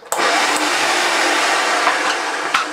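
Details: Early plastic-hood Hoover Junior 1436 Mk1 vacuum cleaner runs a steady, even motor roar with a dry, rough edge under the airflow; owner thinks the motor bearings are a little dry.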